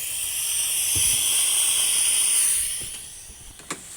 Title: Pool Machine Making Noises Part 3